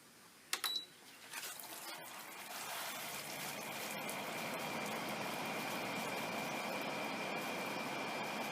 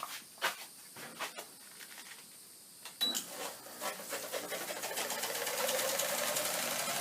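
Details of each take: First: Haier window air conditioner after repair of a rubbing fan, cover back on: switch clicks, then a smooth steady rush of air, the nasty hitting sound gone. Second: Haier window air conditioner tested open on power: rhythmic scraping rasp as the fan blade rubs against the inner styrofoam housing; fix is wedging the housing back for clearance.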